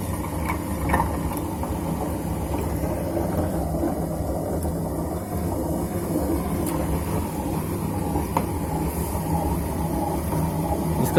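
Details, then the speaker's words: Super General SGW16100 washing machine, about 2 years old: drum bearing collapsed with its balls fallen out, giving loud rough helicopter-like rumbling and rattling as it runs; the motor turns but the drum doesn't, and the drum now has play. "तो बेरिंग पूरा निकल गया है। हाँ, जो बेरिंग में होता है ना ऐसा, जो बॉल्स वो सब निकल गया है, तो दिखाई दे रहा है पूरा।"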